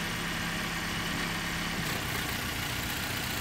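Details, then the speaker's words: Four-cylinder engine at idle, vacuum gauge test reading about 15 inHg. An ignition coil is disconnected to simulate a fault, so the idle turns uneven and lumpy with an off-beat rhythm. Misfire, running on only three cylinders, with vacuum dropping. "notice it's got It's making less vacuum it's because it doesn't have four cylinders really pumping correctly anymore it's only got three disconnect another one so obviously you could feel this misfire but the misfire also shows up in the vacuum gauge"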